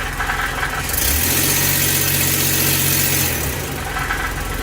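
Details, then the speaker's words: Ford E-150 V8 after fix for P0340 cam position sensor code, doghouse off: in gear, power-braked under load, engine pulls up then settles steady with no stumble, no cut-out and no cam sensor dropout or error. "Put it in gear like before, power brake it. No error, and the engine's not cutting out anymore."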